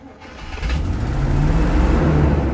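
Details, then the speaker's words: 1972 Barth RV motorhome, started on primed fuel: cranking catches into a low, uneven rumble that never settles to steady idle, then dies; engine sounds all right, fuel delivery issue suspected; catches briefly then stalls. "okay okay it did start I'm gonna prime it again see if I can stay running"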